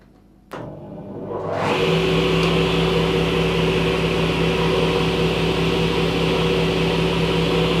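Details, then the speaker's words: Sip 01332 10-inch cast iron table saw with induction motor, test run after purchase with prior water damage; click at switch-on, motor winds up in about a second to steady even hum, fairly quiet, no knocks or rubbing; normal motor run. "okay so it's got a nice uh induction motor so it's fairly quiet"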